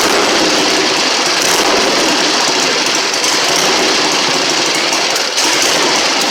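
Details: 1960 Harley Sportster Ironhead, sat since 2010, after magneto/points check, carb cleaned, fresh fuel, timing and points set, kick-started: loud, rough, steady clatter with brief dip near end; firing and running normally.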